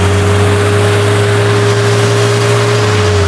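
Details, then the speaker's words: 1985 Toyota Celica 22RE engine with fuel pump issues: loud constant airplane-like roar over the engine at raised RPM; fan clutch seized, fan spinning flat out, new fan clutch bought to replace it. "But I mean, like, before you drive it anywhere, like, hold your RPMs higher so people can hear it. It sounds like an airplane."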